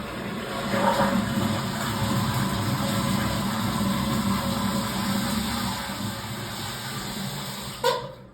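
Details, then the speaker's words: Sloan flushometer toilet in an outpatient surgery center guest restroom, reported running: water rushes steadily for several seconds then cuts off cleanly with a short thump; valve shuts off properly, normal flush cycle. "It's a good sign when it stops. Flush it."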